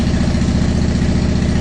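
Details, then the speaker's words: 2010 Honda Shadow Phantom after the fuel pump refit, with ethanol-free fuel plus B12 Chemtool. Steady, even, low-pitched idle with no misses, and it revs better. Normal idle. "so there we go now we got kind of a steady idle going so i think that sounds a lot better it revved a lot better"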